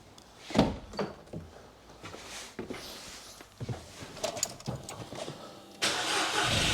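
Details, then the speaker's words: 2008 VW Fox 1.2 petrol three-cylinder just after new spark plugs and refitted ignition coils: cranks, catches and settles into a fairly even beat, brief rev at end; runs smoothly, no misfire, normal idle. "That sounds good. As smooth as a 3-cylinder can be."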